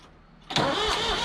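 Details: 1985 Ford 545A backhoe, 3-cylinder Ford diesel, first cold start after rebuilt injector pump installed and bled: catches at once, settles into steady, even clatter; runs good but hydraulic pump very slow; normal cold start.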